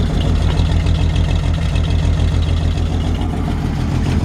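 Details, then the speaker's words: 1953 Chevrolet 5-window pickup, 12-volt conversion, idling: loud low idle with rapid chuffing puffs from a blown donut gasket where the exhaust pipe meets the manifold; air felt escaping, may need tightening or a new donut. "So yeah, where the exhaust attaches to the exhaust manifold with the pipe, the donut there is blown out. That's not uncommon."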